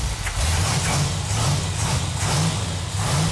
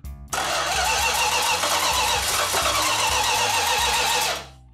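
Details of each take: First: A12 Super Bee 440 Six Pack V8 (three two-barrel carbs) on an engine run stand, first start after loose fuel lines were tightened: a deep, steady fast-idle rumble with an even lope and no knocks or ticks; runs healthy. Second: 1969½ Dodge Super Bee A12 440 Six Pack, 4-speed, at first start after restoration: the starter churns evenly for about four seconds but the engine never fires. It had fuel and spark; cause not yet confirmed.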